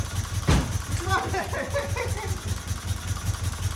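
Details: 1977 Fiat 124 Spider barn find, sat nearly 25 years, first start after a bad starter was fixed, running on a squirt of gas with fuel lines still empty: uneven, lumpy low pulsing that stumbles and never settles, barely alive; rough running, cause unconfirmed.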